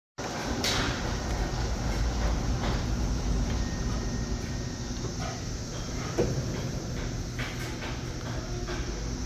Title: Bad bearing surface. www.goding.com